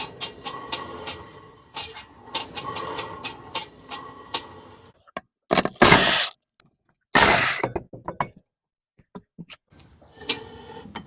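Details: Car lifted on jack stand with wheel off the ground, before the drum was removed (brakes or bearing suspected): rough scraping in bursts with louder grinding patches as the wheel turns; inside were worn shoes and hardware, and the drum may need replacing.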